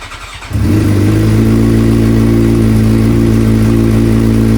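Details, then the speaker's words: Suzuki GSX-R 600 four-cylinder, overdue valve adjustment, just reassembled: on start-up it idles with a light regular tick, about four a second, under the exhaust. It is still present, only at idle, with a firing-order-like rhythm; source unclear. "The noise was there still. It's weird. It's almost like it has a firing order to it."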